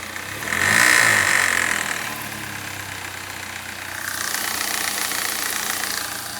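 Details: 1992–95 BMW 318is E36 1.8 engine revving up and down with faint tick about four times a second under a hiss; owner asks what the noise is, source unidentified.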